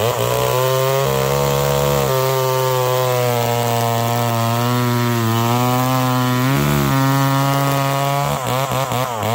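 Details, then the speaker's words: McCulloch Pro Mac 1010 two-stroke chainsaw with a freshly sharpened chain. A high, steady scream dips only slightly under load and pulls straight through the wood. The saw is cutting properly. "that an aircut's pretty dang good now that my color used to cut like that"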